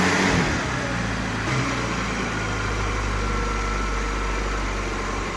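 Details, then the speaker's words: Barn-find 1980 Suzuki LJ80 four-cylinder at its first start in 15 years, running off a battery pack. Revs rise and settle smoothly with an even exhaust beat, no knocks, rattles or misfires; the engine sounds healthy. "so yes your own is fantastic no nasty noises out of the engine no nasty smoke out of the exhaust"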